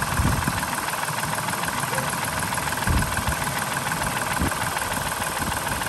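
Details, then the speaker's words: 2005 Dodge Grand Caravan 3.3 L V6 at about 192,276 miles: busy idle with an uneven light clatter over the engine note, a ticking at idle that owner wants to quiet; suspected worn valvetrain, not confirmed. "oh yeah i'm gonna have to quiet that noise a little bit at least a little bit"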